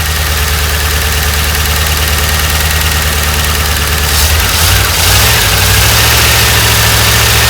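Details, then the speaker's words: 1988 Dodge Ram W150 4x4 V8 with TBI injection, first run after long storage with the fuel gauge below empty. Steady idle that picks up cleanly when the throttle is blipped, then settles; fuel pump working, noise normal for this engine. "try to get out here this time and crack the throttle i can hear the injector squirting so the fuel pump's working"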